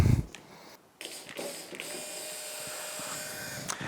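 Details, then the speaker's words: Yamaha F225 outboard, new low-pressure lift fuel pump bench-tested: after a few clicks, a quiet, steady mid-pitched hum. It sounds normal, unlike the old pump, which is to be replaced. "sound a whole lot different. So guess which one's gonna go on the engine? It's gonna be this one."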